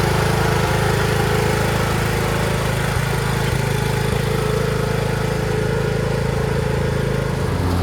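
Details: Craftsman T1600 (MTD-built) lawn tractor, 46" deck, Briggs 19hp, after replacing a blown cylinder head and head gasket, mowing: steady, even drone with a firm low thump and no knocks or misses. Healthy engine under load.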